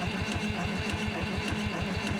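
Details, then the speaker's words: Euclid S7 scraper diesel, 12 V starter, after sitting, cranking to push fuel up to the injector rack: even starter chugging about five beats a second, never catching; no start from air in the fuel, fuel only dripping, starter sounding unhappy. "But, you have to get fuel pumped up to that rack for it to work. Is that the inlet or the return?"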